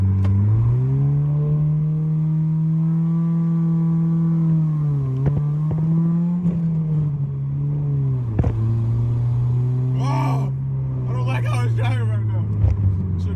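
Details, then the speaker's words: Honda Civic EF sedan in neutral revs on its own instead of settling: raised, slightly surging speed with a few clicks over it; high idle, cause unknown. "It's revving. I'm in fucking neutral. Like, this shit is not supposed to be going"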